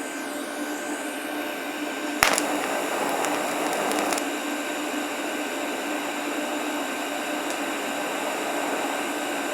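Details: Harbor Freight Vulcan 165 TIG welder, first welds; the arc strikes with a pop and settles to a smooth, steady hiss with no sputter, a normal stable arc.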